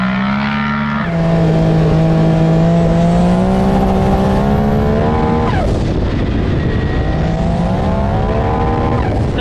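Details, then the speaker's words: Maverick X3 with a bigger turbo, power upgrades (about 500 hp), a head with steel valves and a repaired wastegate arm, warmed up: strong engine tone on the rev limiter sags as revs drop, then the blow-off valve whooshes on lift-off; normal boost and blow-off. "okay she's alive now it was just all over the rev limiter there so you could definitely hear coming on boost on the line this time"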